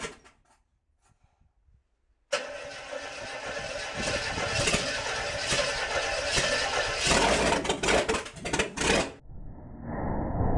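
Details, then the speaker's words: International 345 V8 at first start-up after reassembly, timing set by ear: silence, then it catches into a lumpy, uneven idle with surging loudness; carburetor untuned and needs work. "i got it running reasonably well you know i've just timed it by ear and the carb definitely needs some work but i at least wanted to get it so it would idle and it's doing that"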